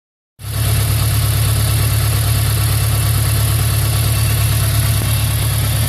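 Steady low engine note with an uneven pulsing beat around three to four per second, the stumble of a misfiring cylinder.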